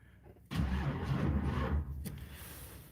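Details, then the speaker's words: Box Chevy Caprice on a cold day after a failed start, battery nearly dead: slow uneven churn of about three turns a second that fades without catching; weak cranking from low battery, jump box needed. "And now the battery is about to die. All right, let me go get my jump box."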